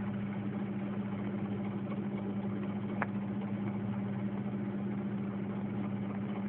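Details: 1996 Mazda Protege idling roughly on a jump starter: steady hum with slightly uneven, lumpy pulsing underneath; owner says it sounds worse at other times.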